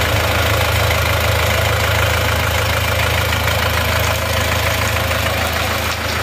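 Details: Rebuilt diesel at idle, thermostat added, no blow-by or exhaust smoke: steady, even clatter with smooth regular beat, no knocks, misses or surging; any slight roughness attributed to injectors or injection pump; normal idle.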